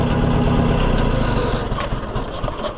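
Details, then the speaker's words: Oliver 550 tractor that wouldn't run, with old points ignition, just got running: uneven chuffing near four beats a second with sucking puff blowing back through the carburetor; suspected valve problem such as bent pushrod, unconfirmed. "See, you hear that sucking like it's blowing back through the carburetor. Almost like we've got a valve issue or something."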